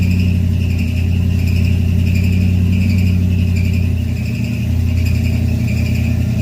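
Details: Carbureted Chevy V8 stored since 2010, first start in 15 years after new carb, fuel pump, plugs, wires, Hooker headers, custom H pipe and two Flowmaster mufflers; deep steady burble with an even loping beat, no ticks or knocks; normal idle and revving.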